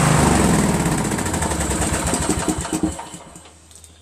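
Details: Craftsman LT1000 lawn tractor riding mower small engine after valve adjustment fixed hard starting from excess compression; fires in a quick regular rhythm, about four beats a second, then dies away; smooth and even, healthy.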